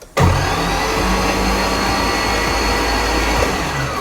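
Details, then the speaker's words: Nissan 240SX with an LS swap, first turning over while the oil system is primed: smooth, even starter whir with a steady low drone and no rhythmic chuffing, as expected with no compression; normal cranking. "And we shouldn't hear the da da da da da because there's no compression."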